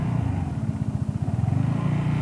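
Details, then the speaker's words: Vespa GTS 300 single-cylinder on test ride after fitting Dr Pulley Tech Pulley variator rollers against low-rpm pull-away clatter; slow pull-away with smooth even throb, no rattle or clatter from transmission; variator running quietly. "ist also da ist jetzt keinen starren mehr zu hören das scheint also wirklich gut zu funktionieren"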